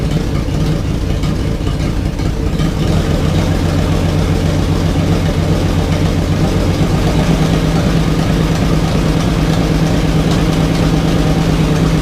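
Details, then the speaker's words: 1987 Jeep Wrangler YJ 4.2L, first start after arriving as a basket case, no exhaust fitted, timing light on: loud open-pipe idle with an uneven, stumbling beat, not consistent; owner plans new spark plugs, doubts it will help. "that's not too good one it's doing that obviously you can hear it's not consistent at all"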